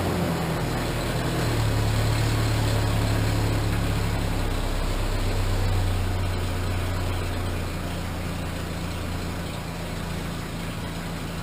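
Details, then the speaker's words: Cheap Ford Ranger after replacing the old exhaust with a used muffler and pipes routed over the rear axle: steady low rumbling idle, fairly muted, no raspy blowing or ticking; exhaust sounds sealed and much quieter. "she sounds much quieter"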